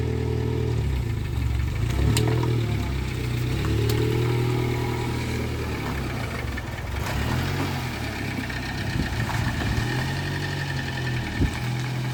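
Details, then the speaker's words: Rare prototype Yugo with Toyota 1.0 VVT-i engine, barn find first started after about four to five months: steady, even low idle settling smoothly at constant speed, no knocks or misses; starts and runs excellently. "Da, navikli smo da čujemo onaj DMB-ov zvuk. Pali. Odlično radi."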